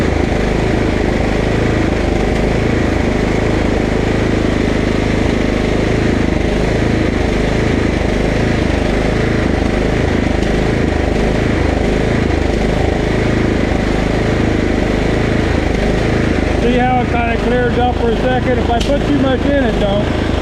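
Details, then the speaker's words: Husqvarna LT 1538 riding mower with a Kohler CV15 engine hunts and surges, then runs better briefly when carb cleaner richens the mixture. Engine surging from a lean fuel mixture; dirt found in the carburetor. "I'm convinced that we're having a fuel issue usually hunting like that is a fuel issue"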